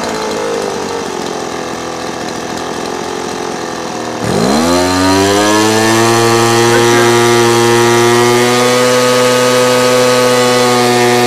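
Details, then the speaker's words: Two-stroke handheld blower carburettor tuning: the high buzz breaks up when set too rich, bogs and can't reach power when screwed in lean, and revs climb again as the mixture screw is backed out. "see here I was breaking up when I got too rich and when I brought it back in it was kind of struggling it couldn't get up to power I start bringing it out again then you hear the RPM start to go back up again"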